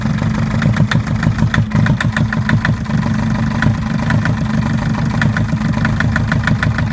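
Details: Mercedes Sprinter 904 with four-cylinder OM611 diesel at idle: sharp metallic knock repeating steadily over a rough idle from a faulty cylinder 1 injector; the knock stops when that injector is cut out, and it is to be replaced.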